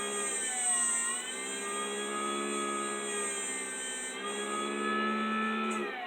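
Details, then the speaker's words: 3D-printed axial flux BLDC motor, 8 magnets, 6 coils, second test on sensorless Hobby King controller: louder startup tones, self-starting; clean steady whine shifting pitch smoothly, no grinding or ticking; normal running. "Listen for the tones. It's much louder in this one. Starts by itself. I think that's to do with the number of poles on it."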